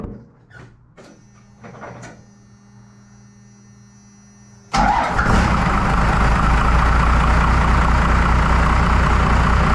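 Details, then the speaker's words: 1993 Dodge W250 with 5.9L 12-valve Cummins, just after injector replacement: quiet clicks, then the diesel fires into a steady, even clatter with no misses; steam from spilled diesel in exhaust. Normal idle, sounds better. "foreign but yeah I think she sounds a lot better"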